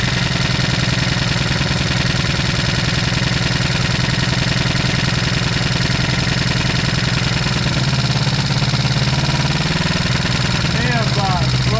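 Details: 1973 Honda CB350, sat outside 18 years, first bench start with throttle opened to clear it: loud, uneven, hammering beat at fast idle stumbling irregularly; one side misfiring because its ignition coil isn't set.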